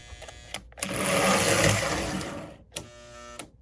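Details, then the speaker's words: Lionel 736 Berkshire postwar locomotive after servicing and pickup refit: a rough buzzing grind swells then sharp clunks as it stalls, the E-unit reversing unit hanging up because a pin on the end of its drum broke off; fixed with a new drum. "Sounds like it's hanging up is what it sounds like. I get in there and clean it up a little bit. Oh, sure. Had to throw a new drum in the E-unit because one of the pins on the end of the drum was broken off."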